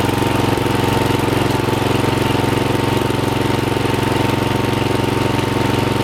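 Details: Rebuilt Troy-Bilt mower after new piston rings (old ring gaps nearly three times spec), with a brand-new carburetor and fresh oil, before fine carb adjustment. Steady, even single-cylinder beat with no misses, knocks or surging; normal running.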